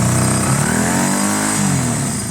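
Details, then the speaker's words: Honda CB250 bobber twin with newly rebuilt, properly jetted carb, after cleaning and regapping spark plugs: revs rise and fall cleanly with no misfire, much better, though owner thinks a slight flat spot around half throttle may remain. "Much better, much better. That is rideable, guys."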